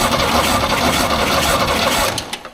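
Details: 1938 International pickup cranking during a plugs-out compression test, readings about 160–190 PSI: quick, even starter chatter with a steady beat, no stumbling. Strong normal cranking; owner then suspects bad plugs or no spark.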